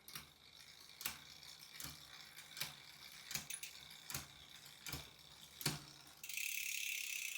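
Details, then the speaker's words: Electric mountain bike running factory gearing for over a year, with a wireless derailleur under test: sharp metallic clunks about once a second as the chain jumps on damaged rear cassette cogs, a shifting problem ongoing for about a month. "you hear that? That clunk back here at my cassette. This is something I've been fighting now for about a month."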